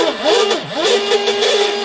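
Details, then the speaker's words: Pro Boat Veles 29 brushless RC catamaran after straightening the crimped drive cable at the shaft in the collet: the drive spins up and down cleanly with throttle, with no wobble or rattle; it runs normally. "yeah that did it that did it so hopefully that helps you guys out you know if it's got like a little bit of a wobble you know from an out of balance propeller like i said you could put a balance propeller on it and it should it should work itself off out"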